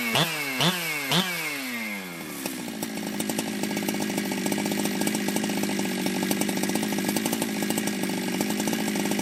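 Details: Ported Jonsered 2071 chainsaw after rework; it had run poorly, like an air leak with a hot case, but no air leaks were found and the crank was re-tightened. Three quick revs, then a crisp, steady high two-stroke scream that holds even: normal running.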